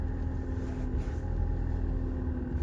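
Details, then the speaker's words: Land Rover Freelander 2: steady mid-pitched power steering pump whine over low idle, likely a clogged internal filter restricting flow in the fluid reservoir/return line; fix is replacing the reservoir. "you're steering wines like that more likely a restriction in the posterior fluid reservoir"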